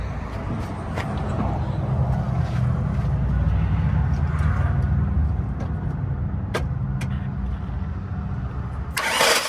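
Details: Truck bought for its 5.3 V8 to replace a broken 4.8; engine catches and settles into a steady low rumble with light clicks, normal start and idle.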